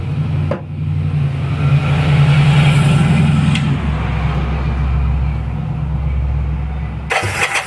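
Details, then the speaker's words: Kawasaki KZ400, first start in over 30 years, new B8 plugs, 10W-40 oil, three-second shot of starting fluid per carb: starter churns, engine catches and runs roughly a few seconds on a low beat before dying. "now that's really that's really all that starter fluids for is to see it you know if it actually gets going after that it needs actual gas but dude bike runs"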